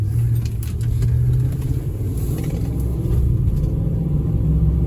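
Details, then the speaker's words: 2005 Nissan Armada SE 5.6 V8 4WD, nearly 220,000 miles, driving on road: deep smooth V8 rumble pulling steadily, shifts perfect, no knocks or whine; a wheel bearing noise was mentioned just before; engine and transmission normal. "Oh man, she still runs so good. Golly bum. Shifts perfect."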